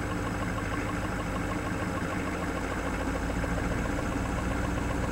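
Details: Knocking noise at idle on a 1987 Ford F350 6.9 diesel, clearly audible from inside the cab; faint irregular knock mixed into the diesel clatter, source unknown.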